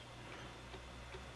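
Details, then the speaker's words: IBM 5155 Portable PC 360K 5.25-inch floppy drive formatting a likely bad disk: steady hum with a sharp tick about every 0.4 seconds as the head steps back and retries; format struggling from bad media. "well that one's that one's trying to format but it's having trouble it's just uh a bad disc there just retrying the format yeah struggling"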